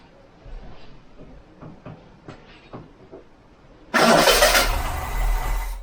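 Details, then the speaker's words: Ford Cortina MK3 GXL after fitting a new starter motor: a few quiet clicks, then the engine catches almost instantly and settles into an even run; normal quick start, likely no timing adjustment needed. "That's not got that fires quick. I don't think we're going to be doing any timing on this. I don't think we're going to be needing to set in the time. That fires fast, especially with that new super duper starter motor that we fitted."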